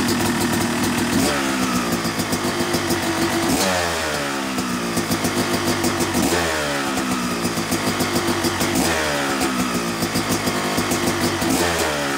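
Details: Yamaha YZ250 two-stroke motocross bike (270cc/250cc), break-in after full engine rebuild (bottom end, transmission, bearings, clutch, power valve); crisp idle with clean blips every few seconds, revs rising and falling smoothly, no rattles; normal, healthy.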